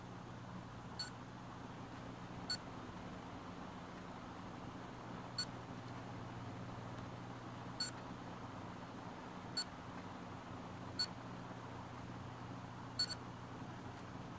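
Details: HP Pavilion dv7-2206TX laptop, a few weeks old. Seven short, high random chirps over a low steady hum, not from the speakers, happening at night and after sleep. The cause was the failing hard drive, and replacing it fixed the problem.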